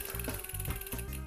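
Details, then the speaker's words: Mountain bike rear derailleur being indexed: freewheel ticking as the pedals turn, then one shifter click and the chain steps up a single sprocket cleanly, a correct single-step rear shift. "so if we just cycle the pedals around and we hit it once for single quick in theory the change to jump up one which it actually does perfectly in this case"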